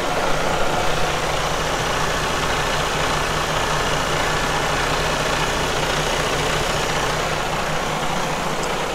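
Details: Diesel truck after priming the fuel filter housing with a homemade pump and cranking: settles into a steady, even idle with a constant rumble and no misses, stumbles or knocks; healthy normal idle.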